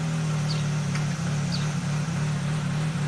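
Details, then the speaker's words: 2012 Mini Cooper, manual, with an intermittent crank no-start and no codes: it started and is warming up with a lumpy idle, small periodic dips and stumbles, and fuel trims of -16 to -17% showing it running rich. "Seems a little lumpy. Didn't expect that whatsoever."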